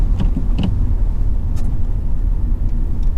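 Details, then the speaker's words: Manual car shifted by mistake from second into fifth gear at just over 20 mph. At full throttle the engine gives a deep, flat drone and barely accelerates; it is labouring in far too high a gear but does not stall. "The car hasn't stalled, but the problem is I've put my foot fully to the floor of the accelerator and it's not really accelerating."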